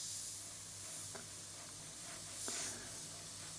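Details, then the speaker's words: Airbrush spraying thinned paint at about 10 psi onto CeX illustration board: a steady, even high hiss with no sputter or pulsing, atomizing cleanly at low pressure; normal spraying. "but this sounds really good so let's move in and we'll do a few passes with the CeX illustration"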